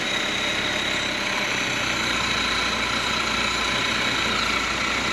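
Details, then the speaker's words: Fiat 124 Sport Spider, off the road since about 2011, running on the old fuel left in its tank: a steady, even idle with a smooth hum and no knocks or misses, sounding good. "Sounds good, don't it?"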